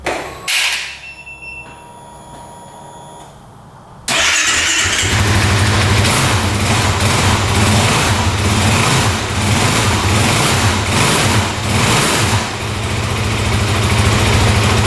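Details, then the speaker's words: 2008 Kawasaki KFX450 fuel-injected single-cylinder quad, first start on a jumper with a slowly charging newer battery, fires at once into an even idle with quick revs, no knocking, smoke or leaks; normal start and idle. "all right that sounds really good wow no knocking no smoking wow very responsive wow sounds great"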